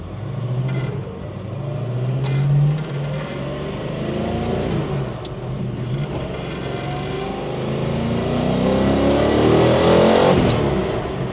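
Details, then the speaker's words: 1970 Dodge Challenger R/T, 440 V8 (upgraded from 383), A833 4-speed manual, Dana 60: deep V8 roar climbing cleanly while pulling hard through second gear, no misses, knocks or rattles; healthy acceleration. "Wow. Thing just tears through second gear. Gets you up to the speed limit in a hurry. Exhaust note. Doesn't get much better than that."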